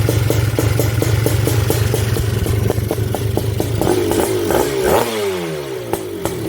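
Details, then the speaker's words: Honda TRX250R with M309R engine, first start with good spark: uneven, burbling two-stroke idle with loose pops and skipped beats that fade out. Owner plans to adjust the pilot jet. "wow i just got to play with the uh the pilot jet probably to get it to start"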